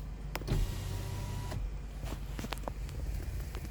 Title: dsg gearbox noise when reverse. Skoda SCALA